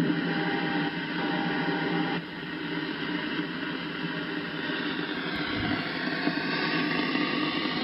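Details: Icom IC-7100 receiving on 2m around 145.1MHz: steady rushing hiss with faint wavering tones and no voice, interference swamping the receiver, easier heard in AM; seems to occur only when two signals transmit together. Cause suspected, not confirmed.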